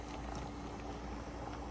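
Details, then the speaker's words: Pressure canning 18 pints of baby lima beans, first 9 pints in a 23-quart pressure canner on stove eye 9, just below high, heating up before venting: low steady rolling-boil rumble, faint hum, light jar rattle, no steam hiss yet; normal heat-up. "Now I'm gonna set my stove eye to a number 9, right below high, because we've got to get this up to temp and start venting. Do y'all see that? Can you hear it? It's starting to rock and roll,"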